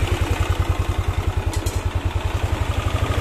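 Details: Yamaha N-Max single-cylinder scooter at idle: fast, even ticking, about two to three per second, suspected from the cylinder head; possibly valve clearance, rocker arm, camshaft or cam chain tensioner, checked one by one.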